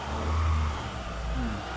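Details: Mitsubishi Lancer with LPG/NGV gas conversion, after replacing the faulty gas valve set, running on petrol: engine blips up smoothly and settles back with no misfire or stumble. Healthy.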